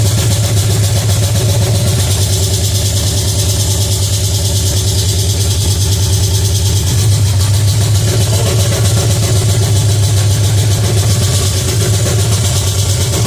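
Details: Pontiac 350 V8 in a '50 Pontiac gasser, first fire-up, timing about 8 degrees: even but elevated idle with a constant low drone that stays up; high idle.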